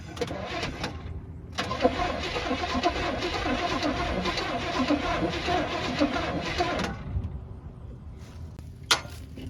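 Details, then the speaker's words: Cranking of the 1940 Chevy truck's engine (a free motor): a steady, even starter churn for about five seconds with no firing; it turns over freely and cranks normally, and the owner expects it to fire. "I heard it cranked right over will it start I think it'll fire right up get this"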